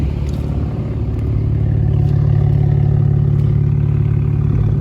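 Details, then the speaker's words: 2008 BMW 135i E88 N54 with fueling issues, first start after installing Precision Raceworks Stage 2 low-pressure fuel pump and Bosch fuel sensor: steady low idle rumble, no stumble or misfire; fix of original problem unconfirmed. "All right, we did get it running off the first start."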